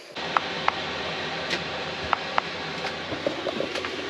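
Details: Newly installed diesel heater in a bus conversion, running after the priming procedure was redone because the fuel pump had been sucking air. A quiet steady fan hiss with a soft, sharp fuel-pump tick every few tenths of a second. It is producing warm air normally.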